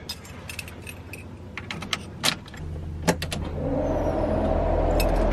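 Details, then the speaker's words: Car after fuel tank reinstall with new Aeromotive 340 lph fuel pump, power applied to prime: a few key clicks, then a steady electric hum that holds evenly; fuel pressure builds and holds with no visible leaks. "definitely heard that. Now we got some fuel pressure. Okay, that's a good sign, and it's holding."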